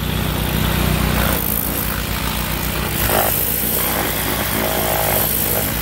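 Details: Kohler SH265 6.5 HP engine newly re-powering an old pressure washer (replacing weak Honda), test run under pump load; strong even steady thrum, no misses or knocking; normal running.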